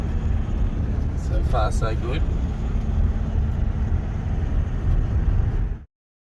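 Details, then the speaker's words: VW Amarok diesel running after cracked cylinder head replacement, no dash warning lights: low, even rumble with no knocks or misses throughout; normal running, sounds like it's running fine. "it sounds like it's running fine Maybe drive it and see what happens I guess it blows up"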